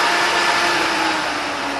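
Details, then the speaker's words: Prochem Everest blower with belts, running after the cable is reconnected, blowing into the machine: loud, steady rushing whoosh with an even tone, high CFM fan, no rattles, squeals or surging; normal running. "now it's blowing into the machine as you can hear it's pretty loud"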